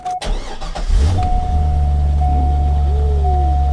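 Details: Salvage-auction car whose odometer shows 100,000 miles, though the inspector suspects nearer 200,000; the check engine light is on. It fires after a short crank and holds a smooth, low, even idle without knocks or ticks; normal idle.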